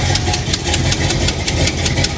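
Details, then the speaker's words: 1985 Chevrolet El Camino V8 after its fuel leak was fixed (hose cut down, new clamp): a loud, lumpy idle holding a steady beat with a crisp exhaust snap. Runs even and healthy; normal idle. "sounds real healthy we got that fuel leak fixed"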